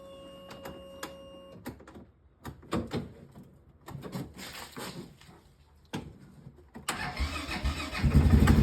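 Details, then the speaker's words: ATV that only clicked on a flat battery now starts, two days after its low battery cells were topped up with distilled water and trickle-charged: quiet clicks, then it cranks and catches cleanly into a steady idle. "Guys, 2 days have passed. Let's see if the ATV is going to start after putting distilled water in the battery."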